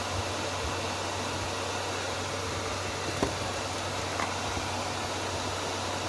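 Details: Inverter welding machine working after repair: steady, even rushing hum from the cooling fan, no rattle or scrape, a couple of faint clicks, fan noise masking the relay; normal cooling fan running.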